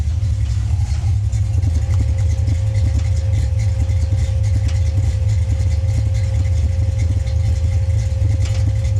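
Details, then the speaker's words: Coupe with a cam, microphone placed down under the car: a deep, slightly uneven idle with a loping beat about once a second over a steady low rumble; the mixture is running far too rich and needs leaning out. "um sounds weird um we need to lean this thing out a little let's go ahead and do that"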